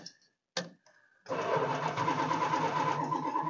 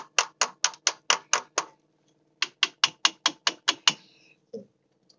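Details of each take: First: Old motor home Mopar 440 V8 on a swapped-in battery, sitting with old gas: after a few short clunks, brisk, even churning at about three turns a second; starter spins the engine over fast, normally. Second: Old motor home with Mopar 440 V8, old bad gas: starter churns in bursts at about two compressions a second but never fires; no fuel seen at the carburettor, owner unsure the pump is pumping.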